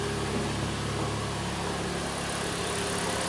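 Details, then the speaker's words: Hyundai ix35 G4NA front-wheel drive, 124,800 km, after engine rebuild for piston knock, bored 0.50 oversize: quiet, even idle heard from outside, smooth hum with no ticking or knocking; normal idle. "работает ровненько никаких стуков браков ничего нет все замечательно"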